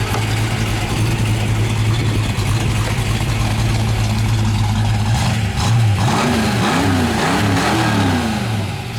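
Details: 1966 Ford Mustang K-code, 289 271hp HiPo solid-lifter V8 with 4-speed manual and dual exhaust, revved at idle: a lumpy steady idle, then clean blips rising and falling smoothly with no knocks or misses; a healthy engine.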